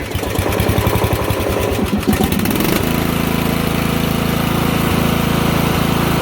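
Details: Lawn mower after flooding, cranked: uneven cranking and sputter for about three seconds, then catches and settles into steady even run; normal running.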